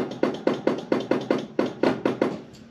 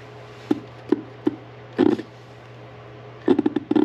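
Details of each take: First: 1982 Fiat 124 Spider horn circuit tested by bridging the horn button contacts with needle-nose pliers: the newly installed relay clicks sharply and regularly, about four times a second, working normally. The horn may lack power or have a dirty ground. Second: 1982 Fiat 124 Spider horn bench-tested on a 12.5 V power supply: irregular dry clicks and short rattling bursts, no horn tone; clicks internally but never sounds, fault inside the horn.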